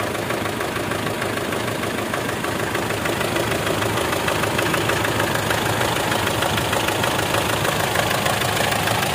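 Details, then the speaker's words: Mitsubishi Strada Triton diesel, possibly around 2008, with hard starting, white smoke and a tak-tak engine knock, idling with the oil filler open: rough, steady chuffing, pops and heavy smoke point to crankcase blow-by; cause unconfirmed. "Nah jadi disini kita lihat untuk bagian pengisian oli itu keluar ya suara tepuk bobot dan asapnya banyak"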